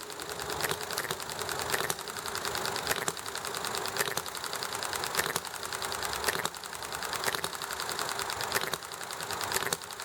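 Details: Enjomor hit-and-miss model engine amid highway, traffic and chatting noise: light rapid clatter while coasting, with a sharper firing pop every second or so as speed drops. It runs nicely.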